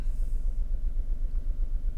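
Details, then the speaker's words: VW Polo 3-cylinder at idle with one injector unplugged to induce a misfire, pressure transducer fitted: deep idle rumble with an uneven, lopsided pulse and a regular dropout in the beat, as one cylinder is not firing. "So that is with the misfire in the car at the moment. So we'll then start that. So that's the waveform with the misfire."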